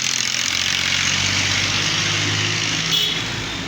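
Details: Honda Pridor motorcycle idling with busy, hissy metallic clatter: excessive noise from a loose timing chain, to be replaced.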